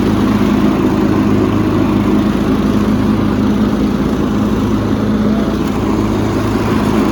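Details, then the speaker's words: Cub Cadet rider's 16 hp horizontal-shaft Kohler with hydraulic lifters, after an oil change to Rotella T 15W-40; hydraulics to be purged again: smooth, even drone at steady pitch, no knocks or misses. Running healthy. "so i'm going to purge the hydraulics one more time just to be safe but i think the rotel t15w40 is damn fine for that seems to be running great working great"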